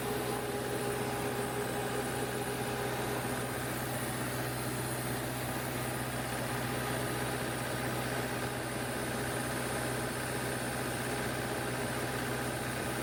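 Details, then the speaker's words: 16 kW diesel generator after a self-done valve job, head gasket still to fix, just started, about to take a 6 kW load: steady idle with a lumpy stumble about once a second. Owner suspects a misfire, possibly the third cylinder, unconfirmed. "it sounds like it's a little it's hitting a little weird but got a misfire but we'll see"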